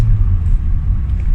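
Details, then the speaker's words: Hyundai Getz petrol, warm with A/C on, with hard starting and an idle that varies when cold or warm: engine drone sits too high even in neutral with no throttle. "na natin Balik na tayo confirm na masyadong mataas kahit neutral oh"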